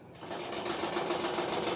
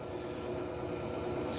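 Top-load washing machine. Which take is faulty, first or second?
first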